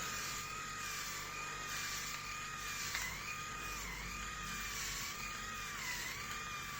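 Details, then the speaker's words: Grundig MS7640 electric shaver, new, shaving a day's head-hair stubble in a 28.7 °C room: a high buzzing whine that dips and recovers every few seconds as the cutters load up. The motor seems to strain; the owner feels it struggles more than his previous shaver. "okay so i don't know how much it was how much you could hear but it seems like it's struggling i mean it sounds like it's struggling with my hair what i shaved yesterday"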